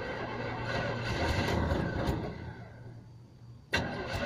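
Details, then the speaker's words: Carbureted engine cranking after STP engine treatment poured into the carburetor and soaking about 20 minutes: uneven cranking stumbles and fades, then catches; flooded engine hard to start, expected heavy smoke. "uh it's going to be flooded so it'll be a little hard to start and then when it does there'll be a lot of smoke coming out of this tail pipe"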